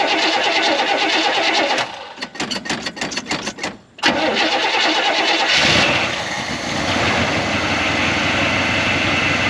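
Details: Barn-stored 1969 Buick Wildcat V8 after distributor and timing work: starter chugs about two seconds, fires promptly, revs briefly, then settles into a smooth steady idle; timing judged good.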